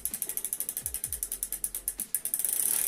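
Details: Shimano Deore freehub after about 2,500 km, freshly reassembled after bearing service. Crisp, even pawl clicks, about a dozen a second, easing as the wheel coasts; normal freehub clicking.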